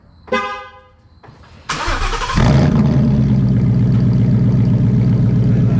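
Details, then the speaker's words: 2017 Ford Mustang GT, 5.0 Coyote V8, started with cat-back exhaust removed (straight pipes) before MBRP S7239 cat-back install: barks to life then loud, deep, raw rumble, about four pulses a second; strong fuel smell noted. "yeah it's start loud and it smells like a lot of fuel"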